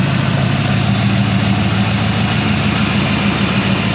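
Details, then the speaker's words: 1940 Ford Tudor with freshly rebuilt Turbo 350 automatic and new 2200-stall torque converter, after float adjustment, idling in gear: steady, even low rumble without knocks or slipping surges; normal idle in gear. "now it runs pretty good or it did let's see if it starts pretty good it runs great shifts amazing John your torque converter is great"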